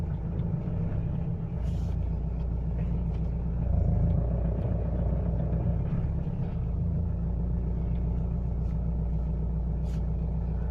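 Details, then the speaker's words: Mitsubishi L200 diesel, warmed briefly after cold morning, driving from reverse then upshifting: deep rumble with uneven knock under load that grows stronger in higher gears; cause not yet found. "А последнее время стук начал происходить под нагрузкой, когда едешь."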